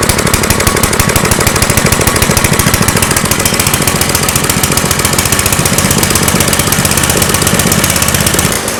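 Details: Engine running on a homemade tri-fuel propane conversion kit; hard, rapid pounding beat with uneven, stumbling firing: rough running, seemingly propane-starved. Owner suspects the hose's tiny inner diameter restricts flow; unconfirmed.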